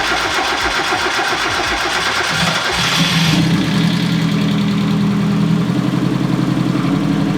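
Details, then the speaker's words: Built 1.6L turbo Miata with new headgasket, clutch and flywheel, and unequal-length turbo manifold; starts quickly and settles at a steady idle with throaty, Subaru-like uneven exhaust and audible turbo; gauges all good. "exhaust sounds so good. Everything looks good here. We got good battery voltage, good air fuel, RPM, coolant, good boost. Oh, you can definitely hear the turbo."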